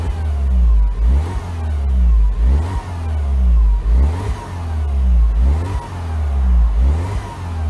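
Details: Freshly rebuilt 2012 N14 Mini JCW Coupe given light revs, stationary, while warming up (coolant about 73.5). Blips about every second and a half rise and fall cleanly with no knock, miss or rattle; healthy.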